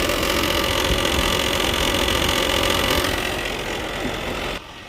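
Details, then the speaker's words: 2011–2019 Ford Explorer rattling in Drive but quiet in Park: light rapid tapping about four per second over idle; stretched belt has pushed the tensioner to its limit, belt needs replacing. "now that sound is mimicking through my pry bar up against this plastic piece that's because that belt is so stretched that tensioner has reached its limit"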